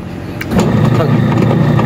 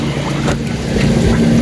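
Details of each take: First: Standard brand 6 kg washing machine running empty with no water or clothes, on timer: loud rough grinding rumble with heavy low drone; motor fine with belt off, water leaking, diagnosed worn gearbox needing replacement. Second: Standard brand 6 kg washing machine after gearbox replacement, filled with water: steady low motor hum with even agitation, no grinding or knocking; noise gone, runs smoothly and strongly.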